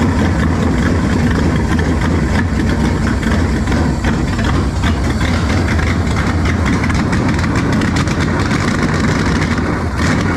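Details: V8 test-running on a trusty 2-barrel carb swapped in for a used, rebuilt 4-barrel judged junk: loud, lumpy uneven idle with occasional sharp backfire pops; runs better than before, owner suspects the air-fuel mixture is off, not confirmed.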